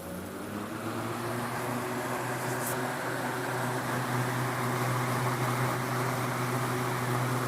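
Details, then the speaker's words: Vintage GE WC2 mini 14-inch 2-speed box fan, likely early 1970s, with 4-pole motor, running on high after starting on low: steady even hum and smooth rush of air, no rattle or wobble; normal running. "It's got a bit of a motor hum to it, like all of my other GE box fans do."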